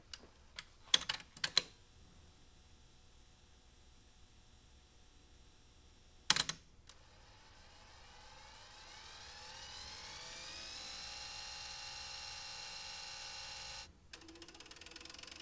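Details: Philips DCC 951/730 recorder tested after fitting a new molded replacement gear on the reel motor assembly, which had cracked and caused rattling in wind/rewind. A button click, then a clean wind rising in pitch as the reels speed up, with no rattle.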